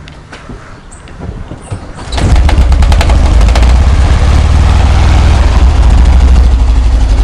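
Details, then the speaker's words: VW Kombi engine knocking on the first start of the day, fading once it stabilizes: cranks and fires, then an uneven knock near four per second under a loud low rumble; sounds like something loose, cause undiagnosed. "então Gente esse que é o barulho vocês escutaram Parece que tem uma coisa solta"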